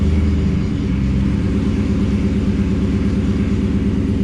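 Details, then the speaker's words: 1966 Buick Skylark with 6-liter LS engine and 4L60, original rear end with 2.91 gears, failed after several burnouts. In gear showing 12 mph, driveshaft turns but car doesn't move; deep steady growling rumble like hungry lions. Failed rear differential. "sure enough the drive shaft's turning but the car doesn't move and it sounds like a den of hungry lions"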